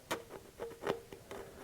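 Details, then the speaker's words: Isuzu 4BD1T excavator diesel during teardown, cam bearings turned by hand: uneven gritty clicking with a ringing note, about four or five a second; one cam bearing badly worn, the middle one also not great. "that one's really bad I think the middle one is also not great but it's it's um I mean it's not bad it's bad but it's not great"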